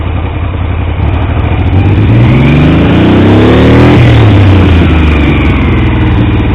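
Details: Triumph T150V triple after head and cylinder rebuild to cure oil leaks: revs rise smoothly and settle back without knocks or misses; oil pressure about 70 psi revving, 40 psi under 2000 rpm; normal running and revving, no leaks.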